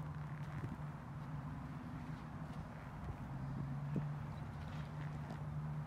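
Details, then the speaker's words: Original 1978 Chevy pickup idling, fires right up. Very quiet, steady low hum with an even beat and nothing irregular under it; purrs like a kitten, sounds brand new, a smooth healthy idle. "fires right up birds like a kitten can't even hear that thing run it's like brand new"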